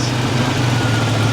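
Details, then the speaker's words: Buick Grand National idling too high after fixes, with audible exhaust leak; steady even hum sitting high, idle set screw must be backed off to hold about 750 RPM. "see now it's idled too high so now we got to back off this set screw just a here we got to try to keep it around 750 [Music] RPMs"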